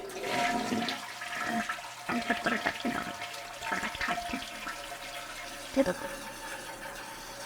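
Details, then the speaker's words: Toilet after new fill valve and flapper, water level an inch below overflow: steady loud rushing hiss during refill; refill flow into overflow tube set too high, turned down with the adjustment knob. "it cannot stand that noise it's making so what I'm going to do is just turn that down a bit so this is another Knob this controls the amount of water that's going through my hose into my overflow tube it's loud it's obnoxious which is why the customer called us here in the first place"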